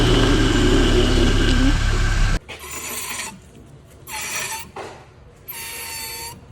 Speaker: el primero es el ruido de las pastillas de freno desgastadas te escucha un agudo rce de metal de metal constantemente cuando va circulando